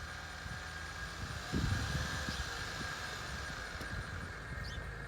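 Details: 2008 Acura TL 3.2L automatic, just under 175,000 miles, new alternator, serpentine belt and power steering O-rings: thin, steady high whine at idle from the left side of the engine; source unknown.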